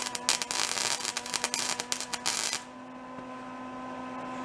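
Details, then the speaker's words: Old salvaged Lincoln flux-core welder, revived with lubrication, at wire speed about 2.5: irregular sharp crackling pops for about two and a half seconds, then hum. Too much wire was feeding and pushing the gun off the metal for the voltage. "i was popping before it was pushed the wire was so much wire was coming out was pushing the the gun off the metal"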